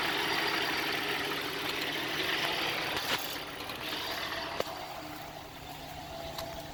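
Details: 2004 Cadillac SRX at idle: uneven running with a faint irregular pulsing of three to four beats a second and the odd sharp tick; rough idle, cause unknown.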